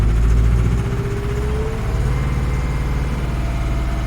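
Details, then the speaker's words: 1988 Atlas 1404 M excavator diesel after bleeding the fuel system: at first not firing on all 4 cylinders, probably fuel not reaching all injectors, then a deep, steady idle at about four pulses a second with no misses. "Sounds like it's not working on all 4 cylinders. Well, now it is."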